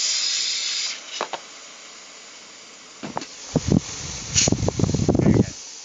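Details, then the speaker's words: Freezer box cooling only at top after new condenser, petrol pressure flush: steady high hiss then sputtering bursts as flow runs condenser to capillary, evaporator and return pipe; capillary not blocked. Unobstructed refrigerant flow during pressure flush. "Jadi sudah lari ke kapiler, kemudian ke isap, artinya ini kondensor ke kapiler masuk ke evap dalam, kemudian keluar ini pipa balik. Tuh bunyi."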